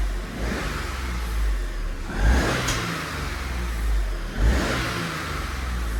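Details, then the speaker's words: £150 Copart car, not driven since Friday, cold start in workshop: settles to an even idle, two clean throttle blips dropping back smoothly, no misfire; running really smooth, still needs a road drive. "Honestly, that is running really smooth."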